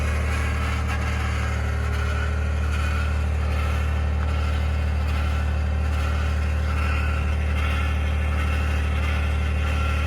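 Steady low cold-start drone with a rough, gravelly grinding undertone riding on the idle; the source is still not pinned down.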